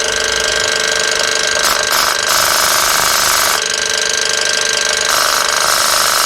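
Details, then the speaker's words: Boost control solenoid on a B18 Honda Civic, commanded on through S300 software while air is blown through it; a sharp air hiss surges and drops in pulses as it modulates the air out of both ports, so the solenoid is working normally. "Alright, so it's operating. If I put air through"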